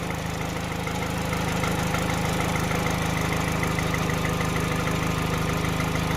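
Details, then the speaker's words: 2012 Peugeot 208 1.4 VTi after repair and adaptive relearn, bonnet being opened, warming up toward 90°C: steady, even idle with a smooth low pulse, no stumble or hunting, running spot on. "But look, it's running spot on. I've closed the bonnet, but you can definitely hear it."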